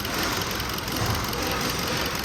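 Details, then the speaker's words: 2015 Kia Cerato shaking at idle: rough, uneven idle with a shaky low chug and irregular stumbles; scan tool misfire counter shows cylinder 4, spark plug looked fine. "شايفين الهزه اللي في السياره على طول يكون هنا في الاخر ادي التوتال كونتر مثل مو شايفين هنا مين هو اللي عم يعد لا هذا اوف تويتر هنا هنا هنا هنا سلندر الرابع اذا السلندر الرابع في مشكله نطلع العبارات السياره"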